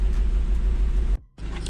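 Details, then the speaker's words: Seat Leon FR 2.0 TFSI petrol idling steadily and evenly with no misses after test drive, once the cylinder 3 misfire was fixed with a new original injector, following earlier coil and spark plug replacement. "obroty równo się trzymają silniczek chodzi równiuteńko"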